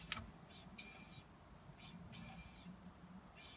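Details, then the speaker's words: Porsche 944 wheel spun by hand: soft scraping swish coming and going each turn, disc kissing the pad at points along rotation; owner suspects warped or castellated discs, with brake vibration under heavy braking once warm. "So the disc is just kissing the pad at various points along the rotation. So I think we've got some warped discs, or certainly castellated discs."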